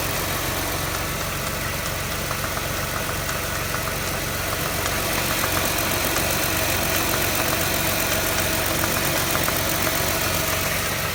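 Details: 2006 Jaguar X-Type 3.0 V6 petrol engine revving hard, then settling to idle, with a steady tapping or knocking of about four beats a second; the knock appears under acceleration.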